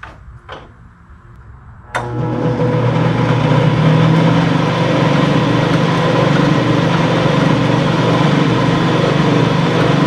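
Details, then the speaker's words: Craftsman/Atlas 12-inch lathe after spindle bearing preload adjustment and fresh lube: smooth, steady motor hum with even low drone, no jumping, screeching, rumble or knock; spindle runs healthy. "sounds good let's see how it performs all right so let's see what she'll do on this very nice it's crawling them chips up nice there's no jumping there's no screeching that's just what i was looking for so"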